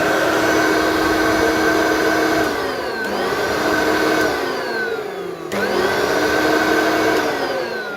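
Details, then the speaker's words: Hoover vacuum from the tip with good suction. Loud, high motor whine on startup that holds, sinks, then climbs again on restart. The owner suspects dry motor bearings and plans to grease the motor. "that seems to be working it's a bit loud on star top it sort of bounces Hynix or zeroes whiny so I'll have a look at the motor and grease it"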